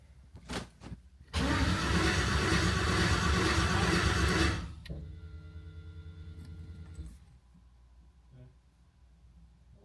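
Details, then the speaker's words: New LS V8 in a 1988 Ford Bronco swap: loud steady cranking for about three seconds, no firing, winds down; cranks fine but won't start, fuel pressure about to be checked. "So we're having an issue. It's not starting. It's cycling over really well. Everything sounds good there."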